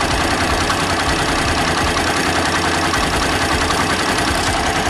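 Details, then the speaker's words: Warm Daelim single-cylinder bike after lubrication, idle adjusted to about 1300 rpm from over 2,000: ticks over at a steady, even low idle with no hunting or misses; sounds healthy. "brother yeah that's good sounds good"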